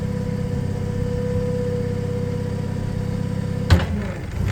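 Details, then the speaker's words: 2018 Toyota 02-8FGF25 LPG forklift with its mast serviced and hydraulic hoses replaced, lifting at idle to 4.7 m: steady engine drone as the sections extend smoothly, with no knocks or clunks. The mast hydraulics are healthy. "Ну дійсно приємно іноді таке буває що буває такий стук а тут ну взагалі немає ніяких займох"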